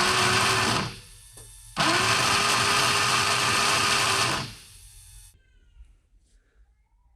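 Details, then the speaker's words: Long-submerged engine in a former Navy patrol boat, spark plugs removed, cranked on the starter: two bursts of fast, even starter whir with no compression beat as oily water blows out of the cylinder; water in the cylinder expelled while cranking. "Shot that oily water out of that cylinder. Out of this one."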